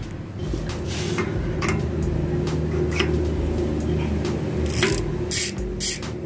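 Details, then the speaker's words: Freshly reassembled Swordhub bicycle freehub, pawls and springs just reinstalled, not yet greased: fast, even ratcheting buzz as the freewheel spins, no grinding or skipping; pawls engaging properly, normal freehub ratchet buzz. "So ayan yung tunog niya guys. Lalagyan ko pa ng konting grasa, wala pang grasa."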